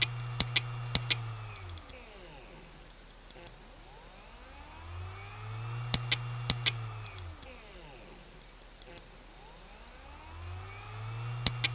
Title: Dying Western Digital WD WMAM9K308462 80GB Hard Drive Sounds. Trying To Spin Up